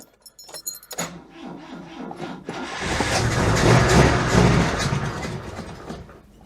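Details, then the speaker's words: Oltcit car with weak battery and low jump pack: clicks then even cranking that never fires; owner suspects a poor battery connection and no fuel getting through, though oil pressure light goes out. "Jump pack hasn't got much juice in it either, but see how we do. Very badly, it seems. I'm not sure I'm getting a good connection on the battery."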